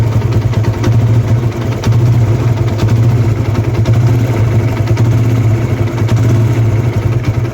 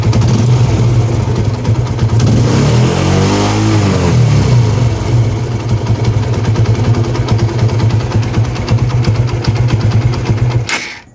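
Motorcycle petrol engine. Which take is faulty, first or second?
first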